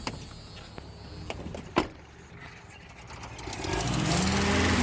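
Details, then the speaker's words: Willys engine first start after spark confirmed: quiet, even low idle with faint steady hum, no knocks or misses; sounds good, not yet warmed up. "Did it die? Oh, it's idling! Wow, it's so quiet, I can't even"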